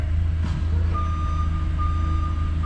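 Mid-pitched beeps, roughly one a second, over a steady diesel rumble; the backup alarm is working while the truck reverses.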